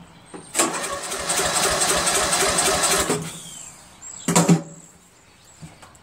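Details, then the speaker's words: Murray Select 13.5 lawn tractor engine with bad valve guide, compression gauge fitted, fresh battery, solenoid jumped; starter grinds about three seconds with soft uneven beats, no firing; 30 psi compression, likely head bolt and exhaust valve, won't start. "that's very bad this is not gonna start the compression is thirty this engine is not going to start no matter what"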